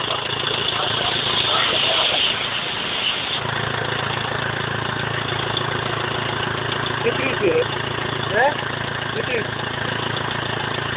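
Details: BMW E46 320d 150hp diesel, first start after engine overhaul following swirl flap failure: diesel clatter settles into an even idle after a brief rev, no knocking or hunting; normal idle.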